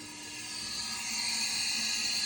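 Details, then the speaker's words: Classic A-series high-mileage head, about 98,000 miles: leak-down test on cylinder two, steady hiss of air escaping the centre exhaust port from pitted, poorly sealing exhaust valve seats. "you can hear the hissing. That's coming out of the center exhaust port. So, that just gives you an idea of exactly how bad the seats are on these uh exhaust valves."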